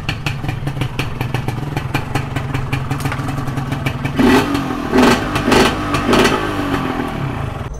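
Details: Modified Yamaha 125Z two-stroke: crackly idle, then four sharp throttle blips that rise and drop back cleanly; the engine runs properly.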